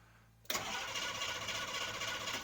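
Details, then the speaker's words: CUCV 6.2/6.5 diesel with fuel shutoff solenoid pink wire pulled off: steady starter cranking for two seconds without a single firing stroke; cranks but no start, no fuel reaching engine. "it'll spin all day no fuel going to the engine"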